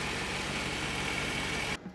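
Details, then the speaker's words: 1994 Mercedes E500 V8 just started at about 30 degrees in Chicago after reassembly: a short burst of smooth, even idle with no ticks or knocks. "Fire it up. It's like 30 degrees in Chicago, so there she goes. Sounds good. Everything works."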